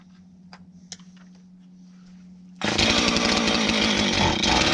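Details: Husqvarna 450 X-Torq chainsaw, starting to adjust carb: quiet ticking, then fires at once into loud steady high buzz holding even; healthy, normal running.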